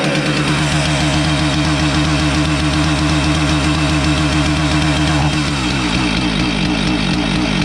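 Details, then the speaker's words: Husqvarna 450 chainsaw, starts fine but won't rev: rough uneven two-stroke note stumbling around four times a second, missing and bogging on throttle, erratic spark; ignition module suspected; misfire and bog. "but we could certainly hear that it wasn't running right and it was missing and when we pulled the throttle it would just bog"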